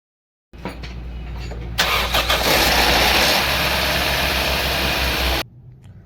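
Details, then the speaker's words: 2015 Toyota Corolla GLi 2NZ engine at start-up: a sharp, rapid ticking clatter over the idle; it is very noisy at first and the tappets get noisy once hot, so worn tappets are to be serviced. "तो इसको जैसे इंजन को स्टार्ट करते हैं, ये पहले बहुत शोर करती है। फिर उसके बाद जब ये इसका टेम्परेचर ज़्यादा हो जाता है तो उसके बाद फिर इसके टैपेड आवाज़ करते हैं।"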